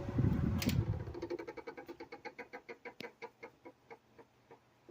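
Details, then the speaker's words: 1995 Chambers (Whirlpool) 5000 BTU window AC, model BPAC0500AS2, induction fan motor; on shutdown the shaft drops slightly and a squeaky squawk repeats about three times a second, slowing as the fan coasts down, from badly worn bearings. "That noise is the very very wore out fan bearings. When the motor shuts off, the shaft kind of drops down just a little bit and then it doesn't sound so hot."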